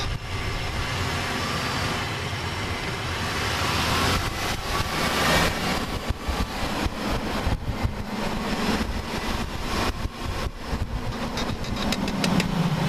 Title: Clicking sound in a 2001 Chevy Impala when breaking in left front tire